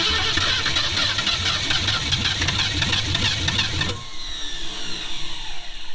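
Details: 1966 Ford Mustang 289 V8 barn find sat over 20 years, new fuel line, engine wet in rain: long steady starter cranking with no catch, then cuts out; turns freely but won't fire, owner considering electric fuel pump.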